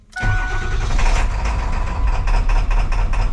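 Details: 7.3 Power Stroke in a 450 bucket truck that starts, runs normally 3 seconds, then idles rough with no power and no smoke; ICP only about 720 with the IPR commanded fully closed. Starter whirr, then uneven lumpy stumbling running; rough running blamed on two bad injectors.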